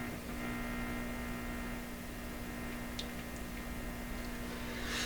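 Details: Canadian PYE radio (model 762 or 39HC) on bench: steady low buzzy hum that doesn't change under everything; strong hum from an unknown fault, while the sound also fades and cuts out once warm, suspected heat-related mechanical or tube fault.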